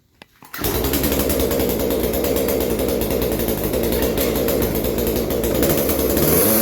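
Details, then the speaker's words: Craftsman chainsaw that bogs under minimal load, briefly warmed after a cold start, before carburettor adjustment: ragged, uneven buzz that won't reach full speed and creeps at the top; running lean, high-speed jet needs opening for more fuel. "it needs a high-speed jet opened up a little more so it'll get a little more fuel it's just struggling on the high end"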